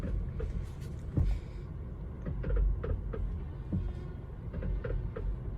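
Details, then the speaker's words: Honda Civic 2017 with the steering wheel turned to one side, then the other. Irregular dull "tak tak" knocks are heard against a quiet idle; a worn steering rack assembly needs replacement: steering rack knock. "यह आपको आवाज आ रही होगी। यह टक टक टक टक की आवाज है।"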